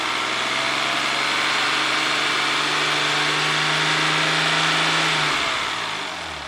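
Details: 1994 Ford Probe GT, held at about 3000 rpm and then dropping back toward idle: a clean, even tone with no knocks; oil pressure over 50 psi at 3000, the low end of spec.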